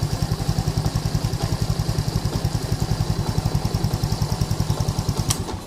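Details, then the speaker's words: Lagenda 115 fuel-injected motorcycle that used to sputter and stall when hot, after two faulty parts were replaced. Quick, even single-cylinder beat runs steadily without cutting out. Normal running after repair. "Oke geng ni motor dah settle e dari segi semput dari segi panas dia mati Tu Semua dah hilang complete dah hilang"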